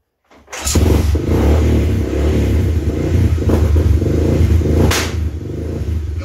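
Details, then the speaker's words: 2000 Honda 300 4x4 ATV that won't accelerate past about 2000 rpm before backfiring and sputtering. Under partial throttle the engine rises to a steady low roar, then drops away instead of holding revs; owner suspects the voltage regulator or CDI, not the carburetor. "so just so you guys are aware when you hear that red and then just drops i'm not doing that i'm not holding it wide open but i'm also not cutting the throttle either so i really think it's something electrical"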